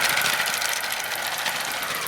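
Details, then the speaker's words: Repaired Hornby G100 live steam Stephenson's Rocket model running on the track: quick, even chuffing with light mechanical chatter and no knocks from the pistons or conrods, running smoothly. "well this is an excellent runner no noise at all from the pistons or the conrods just smooth running"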